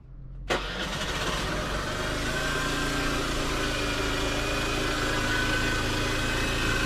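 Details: Honda Dio AF62 50cc scooter, worn engine due for overhaul, run deliberately without oil: starts, then settles to a harsh rattly idle with a thin whine on top; abnormal engine noise, engine finished.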